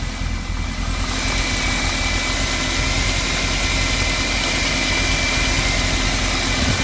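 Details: 1991 VW Vanagon Syncro 2.1 boxer cold start before engine replacement, engine about 67 degrees, heads 63: even, busy idle with plenty of hiss and fan noise; no distinct knock, fault unnamed.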